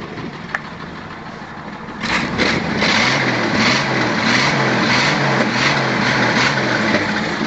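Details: 1984 Toyota Land Cruiser FJ60 engine, previously coasted downhill then put in gear going up the next hill, oil seeping near cylinders five and six, smoking: starts after two seconds, idles with a steady knock about three times a second toward the rear; suspected blown piston or thrown rod.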